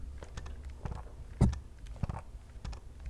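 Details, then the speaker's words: Viltrox AF 56mm F1.2 Pro lens (dual VCM motor) on a Sony A6700, shaken while the camera is off: light clunks from the loose focus group. This is normal, and the sound stops once the camera is powered on. "And by the way, if anyone is wondering, yes, the lens does make a clunking sound"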